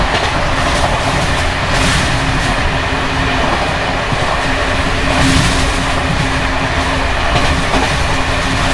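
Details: Bd264 481 coach (built 1979), Görlitz V bogies with high mileage since last major overhaul, uneven line 190 between Hluboká nad Vltavou and Číčenice; steady rolling roar with loose jittery rattle from bouncing brake rigging.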